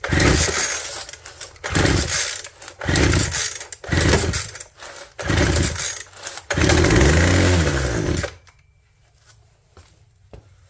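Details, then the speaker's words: Abandoned two-stroke hedge trimmer with crusty fuel lines, ether sprayed into the plug hole before pull-starting: several short bursts, then catches and buzzes a couple of seconds before dying, firing on ether only; fuel line replacement still needed. "We'll put a little gas in the plug hole instead of ether. No, we'll do some ether. Should be enough."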